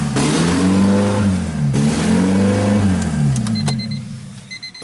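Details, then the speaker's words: 1999 Honda Civic Si, B16 VTEC, higher mileage, refreshed head: first start with the exhaust not bolted to the main system. It catches and revs up and down smoothly with no knocks or misses. A vacuum leak is suspected. Normal running. "well [ __ ] it runs sounds like it runs fairly smooth too"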